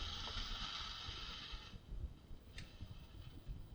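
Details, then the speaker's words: 1952 Webster-Chicago model 210-1 reel-to-reel playback after two coupling capacitors were replaced: sound comes through bright and full for under two seconds, then sinks to a faint hiss; owner says some bad capacitors are still in there. "now fades away. Did you hear it? There's still some bad caps in there."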